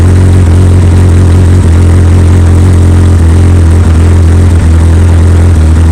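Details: 2003 Yamaha R1 four-cylinder with full Akrapovic exhaust, code 18 check engine light despite Graves servo buddy, idling: steady deep drone with an even low beat, no knocks or rattles; normal idle.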